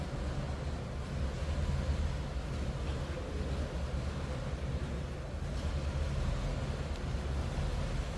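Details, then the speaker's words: 1934 Ford Model 40 5-window coupe flathead V8 heard from the rear, idled down low with throttle pushed in: low, soft, even rumble with no knocks or misses; quiet, smooth, healthy idle. "Nice quiet running flathead. I have it idled down pretty low too."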